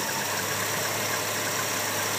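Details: 2001 Subaru Outback LL Bean idling after ground-wire cleaning and added grounds, with wipers, headlights and AC on. It earlier misfired on every cylinder but one (cylinder six code). Idle is now an even, steady low drone and smooth hiss with no stumble.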